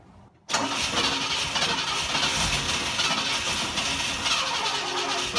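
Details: 1960 Pontiac Ventura barn find, rebuilt Tri-Power carburetors, after timing adjustment: catches then runs loud, ragged and uneven without a clean idle; owner suspects timing slipped, unsure, and excess fuel; a loud backfire followed.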